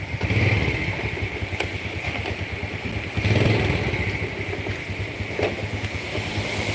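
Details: Yamaha Jupiter Z after total engine restoration following a truck crash, original bearing set replaced: steady idle with even crisp exhaust beat and light valve clatter; normal idle.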